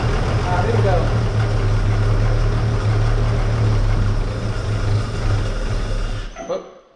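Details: Barn-find 1931 Oldsmobile F31 on poured-in priming fuel: low steady rumble about six seconds, then fades and stalls; the mechanical fuel pump isn't delivering.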